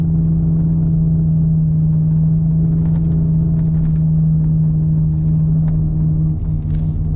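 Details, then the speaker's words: Inside the car at about 50–60 km/h with a wheelbarrow strapped on the roof, untwisted flat straps: a loud, steady, low buzz at one pitch over the road rumble. The straps are fluttering in the wind. "if i jump on the freeway with my straps in this condition it's going to be extremely noisy extremely annoying"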